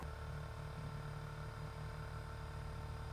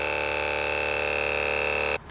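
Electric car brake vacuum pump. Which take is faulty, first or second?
second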